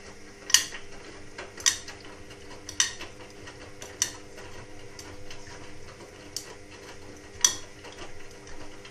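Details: Indesit WIXL143 washing machine: sharp dry clicks about once a second, irregularly spaced, over a faint hum with no drum motor. It clicks for 2-5 seconds and never finishes its cycle. Stain removal, Easy iron and door lock lights flash. Fault unknown.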